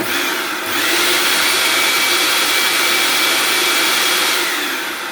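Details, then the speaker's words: Hoover Turbopower 2 motor after bearing oiling, running with the covers off: a loud, steady high-pitched rush with a thin even whine and no hunting, much smoother than before. "So it's still very loud, but it does sound a hell of a lot more like a Turbopower 2 should sound."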